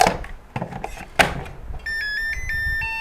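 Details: Mini charger for Makita 18V batteries: a couple of handling clunks, then a clear beeping melody in steady tones after the charge tune was changed by pulling and reinserting the battery; plays normally.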